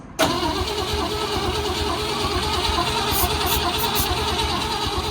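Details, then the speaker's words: Long-dormant project car cranking steadily for five seconds with no firing or catch. Owner suspects the coil isn't getting any power, unconfirmed. "I don't think it's firing Yeah, because it's probably not getting any power to the coil."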